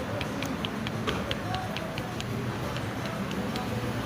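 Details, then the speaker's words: Honda Pop 110i engine that came from another workshop, crank turned slowly by hand: sharp metallic clicks about four per second. The semi-new connecting rod knocks, and its thrust washers are badly damaged. "Ela tá batendo. Eu verifiquei aqui, ó, que essa biela, ela é nova."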